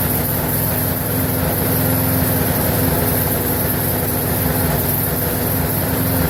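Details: Briggs & Stratton 4.75hp mower engine, possibly Craftsman, previously wouldn't run and reportedly died 10 minutes after earlier fix, now run-tested; steady even drone, no surging, misses or dying out; normal running.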